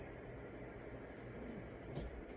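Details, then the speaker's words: 1990s SMC ceiling fan, previously dead, after cleaning dirty switch contacts, running on high with slight wobble: quiet even low hum, smooth airflow whoosh, no ticks or rubbing; normal running, average airflow. "Airflow is, average for this type of fan. It's not the best airflow, but I mean, it's definitely a lot."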